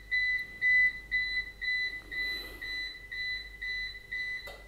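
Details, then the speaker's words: APC Back-UPS BX750MI on battery during a runtime test, after just over 26 minutes; loud, fast, even high-pitched beeps, about two a second, while the LED flashes faster; the UPS is warning that the battery is nearly drained. "aha jetzt scheint er den restlichbenszustand erreicht zu haben macht sich bemerkbar durch lautes schnelles Piepen man sieht's und man hört's auch ne also die LED blinkt jetzt schneller man hört das Piepen"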